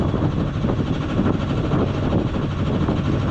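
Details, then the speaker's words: Engine of a self-built 31.8 ft junk-schooner sailboat under way about a mile offshore after repair of a starting problem: steady even low rumble, no knocks or misses; normal running. "That is the sweet, sweet sound of engine. It worked again. Woohoo."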